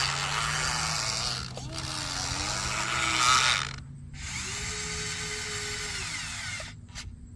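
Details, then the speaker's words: Huina 1583 RC front-end loader after the loose drive pinion was fixed: under hard strain the motor drones with a high, shifting gearbox whine that rises and falls with load; the gearbox is loud but working. "but I'm straining that thing pretty hard and it's holding up so it may be loud but it's also working so I'm I'm going to count that as a victory"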